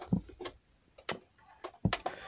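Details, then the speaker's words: CD player with a badly scratched found library CD (Snow Patrol): sparse, uneven clicks and ticks as the drive searches without settling, display shows no disc; disc not read. "And press play right now. And yeah, it says no disc. That's what it says."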